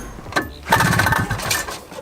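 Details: Restored 1979 Honda Odyssey FL250 two-stroke with newly machined cylinder and DG expansion pipe, started on choke: a couple of pops, then a crisp buzzy crackle that picks up and holds; normal two-stroke running.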